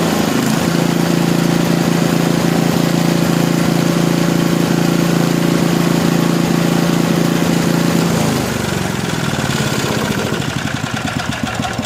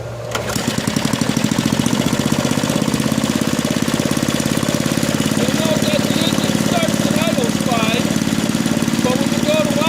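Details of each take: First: Small lab engine after mechanical governor dynamic adjustment, idle set near 2000 rpm: steady high buzz that eases down and settles evenly; top no-load speed rechecked with vibration tachometer just above 3400 rpm, governor set right. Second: Small single-cylinder lab engine after governor was deliberately misadjusted (loosened and randomly retightened): races up and holds a high, hard, fast-firing drone well above maximum engine speed; governor has lost control, overspeed.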